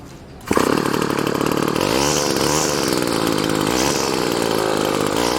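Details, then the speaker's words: Weed Eater GTI15T two-stroke trimmer on 40:1 mix, after fuel line replacement: high buzzy snarl that wavers and surges; fuel-starved, lean running because the fuel filter stands up too high in the tank. "so find a bit of an issue here part of reason life feels like it sounds like it's starving for fuel it's because the fuel line right"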